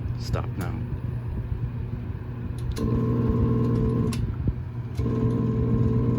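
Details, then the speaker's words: Vornado fan running with a low hum and a buzzing rattle that cuts in and out in bursts; owner first heard a knocking, judges it a bearing rather than electrical noise and suspects the bearing is dry; fan vibration noise. "i think she's okay but i'm still gonna have that fear that if i run this overnight at some point in the middle of the night it's going to start having a racket"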